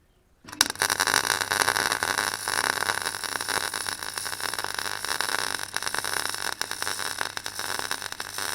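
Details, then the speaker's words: Clarke Pro 90 MIG welder, a beginner's first welds: an even, continuous sizzling crackle with no pops or gaps. The puddle is easy to control, the sound is consistent and the weld penetrates through the back, a good sign. "I could keep it where I wanted it, and it was moving as I did, and it sounded consistent, which is a good sign."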